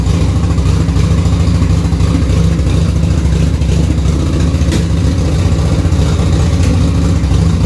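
Lumpy, uneven idle with a loping, irregular beat where firing pulses drop out; one cylinder is dead and the bike runs on the other.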